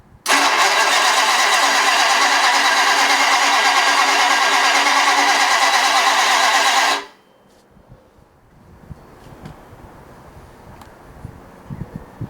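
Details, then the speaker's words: Ford flathead race 8BA V8 on a run stand, new distributor with points gap freshly set, ignition on: starter cranks evenly about three turns a second for seven seconds but never fires; no spark found, cause not yet identified (no room for condenser suspected). "I don't see any sparking I don't know what to do new distributor Okay so we're not getting sparked for some reason"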